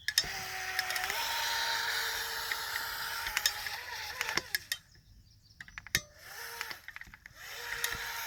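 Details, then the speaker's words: Pro Boat Jet Jam RC jet boat, brushless motor upgrade, above 3/4 throttle: motor whine flares sharply then drops as the jet intake sucks air and cavitates, losing all propulsion with the impeller spinning free; easing off and reapplying throttle recovers it. "what's going on is it's starting to suck air cavitating and then it loses all propulsion and the motors your sister spinning the impeller"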